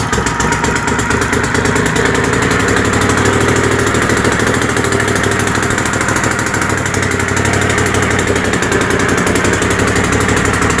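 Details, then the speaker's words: Troy-Bilt GTX 20 with new lapped valves and gaskets, carburetor issues, gas fed directly into carburetor: loud, raw, rapid popping exhaust at steady idle with no muffling, baffles gone; keeps running only on choke, carburetor kit coming. "our dear Lord so you guys get the drift it runs the muffler basically isn't one's as straight pipes"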